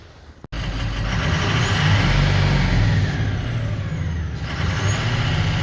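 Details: 2004 Ford 6.0L Powerstroke diesel pickup after repair (injector wiring fixed using a 7.3 connector line): cranks and catches, settling into a steady, even low rumble at idle with no stumble or miss, running smoothly.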